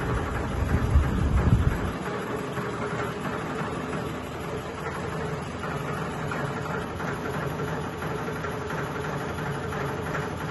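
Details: Sony ceiling fan, 2022 model, at full speed: heavy low droning hum with an uneven pulsing throb and loud thumps early on, wobbling and vibrating hard. Ceiling fan wobble and vibration.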